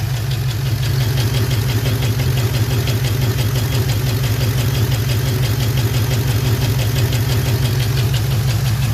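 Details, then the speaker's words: LS4 V8 at lumpy idle, missing a cylinder with the number 4 injector unplugged, and a quick, sharp tick keeping pace. Owner thinks a lifter has collapsed; the check engine light came on after a highway cruise two weeks ago. "That, unfortunately, is a lifter that I think it's collapsed."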